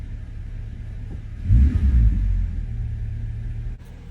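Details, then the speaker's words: 1995 Lexus SC, about 250,000 miles, sat a long time; owner suspects moisture in fuel and it died unless revved. After Sea Foam High Mileage, petrol engine blips then settles to a steady, even idle without stumbling. "let's see if we can maybe run all the existing fuel up there she is folks she's idling"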